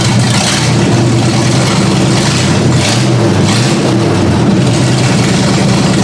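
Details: Ford Granada V8 with no exhaust, first start-up after work: wavering, stumbling rough idle. The owner raised the idle speed and backed out the carb mixture screws until it idled on its own.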